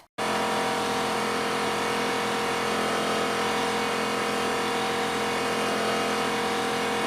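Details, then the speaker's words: New Porter-Cable C2002 6-gallon 150 PSI pancake air compressor running, a constant motor hum and steady pump drone with no knocking, squeal or surging; healthy. "And so what I'm going to show you now is I'm going to turn the audio back on and you'll hear the compressor actually go. So I can demonstrate it for you."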